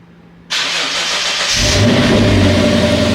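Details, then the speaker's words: Lexus GS F start after reassembly: short labored crank about four beats a second before catching into smooth idle; battery getting low, needs driving to recharge. "You can hear my battery getting kind of low, so I need to drive it around."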